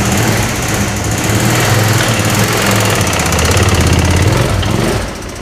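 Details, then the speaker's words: Original knocking engine of a 2005 Suzuki V-Strom 650, restarted with the oil unchecked: lumpy, uneven running with irregular low thumping and no steady beat. Rough running, cause not confirmed. "Oh, it is not happy. Whew."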